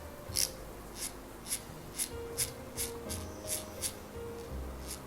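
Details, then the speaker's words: Shimano SLX baitcasting reel during servicing, opened up with no corrosion: a raspy, dry whir with a light regular tick about twice a second as it turns. The bearings have no lubrication; good lubrication should fix it. Dry reel bearings. "मैं देख रहा हूं कि वे काफी सूखे हैं, उनमें कोई चिकनाई नहीं है, क्या आप सुन सकते हैं कि वे"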